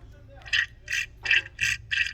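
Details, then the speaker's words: VW/Audi DQ200 mechatronics replacement, bleeding after filling with reused oil. Pumping the hydraulic piston gives rhythmic hissy spurts, about 2.5 per second, with no tension or firm resistance. Air is trapped in the piston and must be bled out. "you hear that noise there's no tension there so there's air there so you need to get all the air out"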